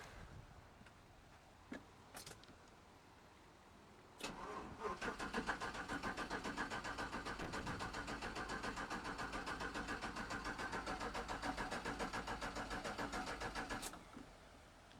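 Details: 5.3-swapped OBS truck with new returnless fuel system, no regulator fitted yet: steady starter churning for about ten seconds at an even beat but never catches; strong fuel smell, possible leak, cause not confirmed.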